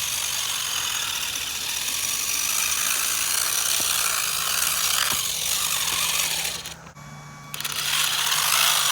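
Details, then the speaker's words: HBX Transit RC car crawling in low range: over the motor whine, rapid ratcheting chatter about four times a second under load; nearly stripped pinion and spur gears skipping teeth. "and guys as you can see the gears in this thing are almost gone which is why I got to keep this thing in low range in order to drive anywhere because high range it just puts so much load on the gears it just wants to strip"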